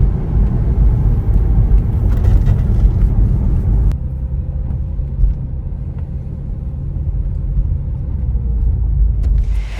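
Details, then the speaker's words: Porsche 986 Boxster on a test drive after replacing rear tuning forks (lower control arms) and sway bar end links to cure a hollow clanking: only steady road and tyre rumble, no clunks over bumps; normal rear suspension, clanking gone. "all right well as you just heard from that short video clip the sound is now gone it is such a relief that when I'm driving this car I no longer have to hear that clanking sound"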